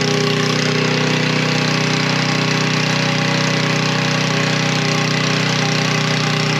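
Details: Coleman Powermate 3250 W generator, 6 hp Briggs, after carb cleaning and plastic-welded fuel inlet repair: constant, even hum with steady firing beat, no speed hunting or misses, no leaks; running properly.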